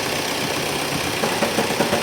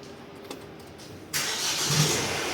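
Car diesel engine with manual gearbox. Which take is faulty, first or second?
first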